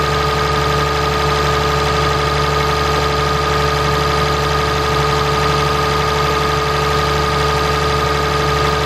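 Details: 2017 Ram 3500 pickup, 6.7 Cummins diesel, idling after water pump replacement and coolant refill: even, steady idle with a constant hum and no knocks or misses; engine running smoothly.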